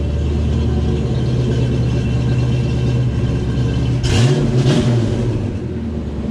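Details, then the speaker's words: Project car's first start after a build, with one wire repaired: an even, deep V8 idle, then two quick blips that rise and fall cleanly. It revs freely and sounds healthy. "yeah she sounds good awesome"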